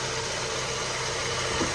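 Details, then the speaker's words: 2012 Honda Civic, idling after a Liqui Moly engine flush and a Valvoline 5W-20 oil change with Lucas oil treatment: soft, even idle with a steady hiss, no ticking or knocking; running quietly. "So guys, the engine sounds really quiet. Like when you listen to this, it sounds really quiet."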